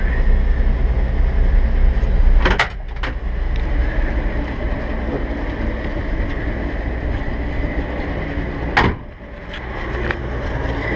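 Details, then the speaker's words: 1958 Chevrolet Apache 3200 truck, 235 inline six with solid lifters, 3-speed column manual, idling after choke start; light quick ticking over steady low rumble from solid lifters plus exhaust manifold leak. "should be able to hear that exhaust leak it does have solid lifters that's that noise you're hearing"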